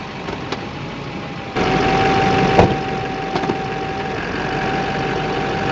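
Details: 2008 Silverado 2500 Duramax idling with sharp pops through the chassis when turning, after front-end parts were replaced without a fix. Cured by removing the 4 engine crossmember bolts, cleaning and greasing the threads, and torquing them to spec.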